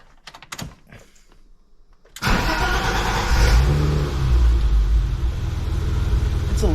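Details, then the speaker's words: BMW E30 six-cylinder after replacing the fuel filter and a hose likely 30-plus years old: after a few quiet seconds it fires almost instantly and settles into a steady idle; the long cranking delay before starting is gone. "as you can tell it takes a lot less time now to start up which you know that was sort of the goal"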